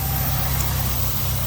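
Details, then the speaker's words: Buick at idle, running loud and heavy with an uneven low throb and stumbling beat. One cylinder is misfiring because one coil is not sparking; the owner suspects the coil or plugs. The idle changes when the second coil is pulled, and a hose also leaks. "ain't even sparking it ain't even sparking so you can tell that coil either that coil is no good or there's plugs no good because like it's probably a coil because look if i pull the second one off you can see how the motor started changing"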